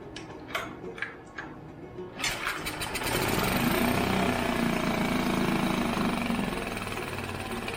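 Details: Mercury 5 hp four-stroke outboard, barn find in long storage, dirt dauber nest on carburetor, first pull-starts: a few pulls and sputters, then catches into a steady, slightly uneven running buzz; water seen from tell-tale.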